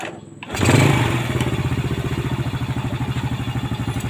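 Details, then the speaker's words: Yamaha Vega ZR after engine rebuild with new 5D9 piston, previously very loud top-end ticking and white smoke: catches first crank, even idle about ten beats a second, no ticking or rattle; normal start and idle. "Kalau sebelum diservis tadi itu agak kempletek bukan agak ya, kempletek banget ya."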